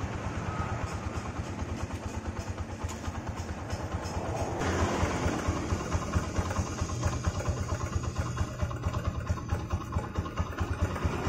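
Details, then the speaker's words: Honda Megapro Primus single-cylinder motorcycle after repair of a rough left-side klotok-klotok noise (cam chain or tappet adjustment suspected): restarted, now an even, steady idle with soft regular pulse, no ticking or clatter; smooth and healthy. "Nah suaranya langsung halus ya"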